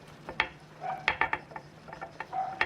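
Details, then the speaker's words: Sharp metallic clicks and clacks as a front-right control arm's loose ball joint is rocked by hand; the joint has worked loose in its housing, knocks and transmits noise to the body; fixed by replacing the control arm. "Esse pivô folgou o alojamento aqui, a casa, ele é um êmbolo, né? Então ele tá solto aqui dentro."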